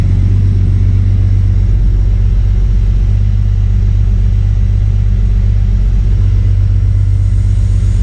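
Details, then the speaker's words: MK3 Toyota Supra after the Crispics igniter-ground mod and with the igniter now plugged in properly, previously not firing: steady, even low rumble with no misses or stumbles, idling much smoother and calmer than before; sounds healthy. "run so it's definitely idling a lot smoother start it up really nice too it's calming down was an aggravated before it was very"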